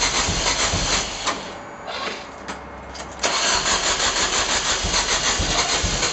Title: Rocket crank no start.